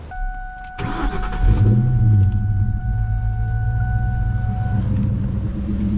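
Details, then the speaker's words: Red Ford Mustang V8 settling to a steady, even idle with no popping or stumble after cleaning the old air filter and MAP sensor; idle was previously choppy and popping, unclear whether cleaning or driving fixed it. "I don't know if it was that that fixed it or just driving a little bit fixed it but it sounds really smooth now the Idols are real smooth"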